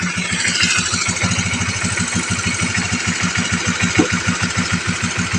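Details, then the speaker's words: Honda CBR motorcycle idling after repair of a damaged small-chain (cam chain) adjuster, battery weak after long disuse: steady, even low single-cylinder thump with no top-end rattle, sound back to normal. "Oke Guys akhirnya berhasil ya teman-teman sea motor bunyinya normal kembali"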